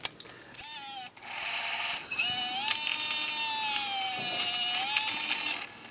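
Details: Panasonic S-VHS-C camcorder (NV-S70 / NV-S85B), partly disassembled: thin high whine wavering in pitch from the rotating video head drum in the tape transport, starting after running a while; suspected noisy head drum, not confirmed.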